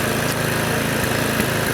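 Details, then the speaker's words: Revived neglected Victa Sprinter mower, Briggs and Stratton engine: holds steady idle with occasional spits and sharp pops; owner thinks it wants a new spark plug, also suspects fuel tank trash and dodgy governor spring. "yeah so she's purring like a little kitten just the occasional spit i'd say um wants a new spark plug in it"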